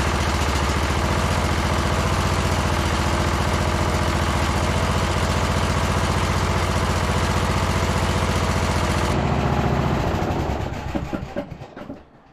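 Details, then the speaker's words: Briggs & Stratton engine on Troy-Bilt Bronco lawn tractor after second carburetor cleaning: even, steady low single-cylinder idle with idle screw all the way out, no hunting or misses, full rpm fine, then clean shutdown; valves need no work. "so that idle screws all the way out that's like Rock Bottom idle right there and it's perfect nice and smooth and full RPM sounds good too"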